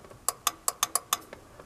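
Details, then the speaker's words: GM power door lock actuator (DC permanent-magnet motor, rack and pinion, 1970s–mid-90s cars): six sharp dry relay clicks in about a second with no motor whir; relay works but the actuator in the door does nothing. "Now, the symptom we got you can hear the relay,"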